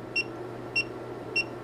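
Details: Hioki DT4252 multimeter after transient surge testing: three short, clean high beeps about 0.6 seconds apart over a quiet hum as the diode test reads one, two and three diodes; the meter is fully functional.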